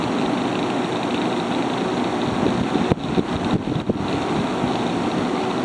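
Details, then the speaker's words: Haier ESA410J-RGB 10,000 BTU window air conditioner, evaporator-side airflow test with the fan on high at about 1,700 RPM: steady rushing air with a smooth low hum and no rattles or squeaks. It is running strongly and normally. "Crank it up to high. There's our power output right there. This thing is very strong."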